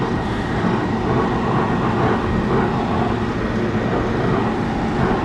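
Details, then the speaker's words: Restaurant exhaust hood fan making loud noise: steady roaring drone with a thin high whine; technician suspects the motor lacks lubrication. "I can hear the noise oh yeah alright let me go ahead and open it our Navy Eskin here but I bet you that thing is not it doesn't have that lubrication"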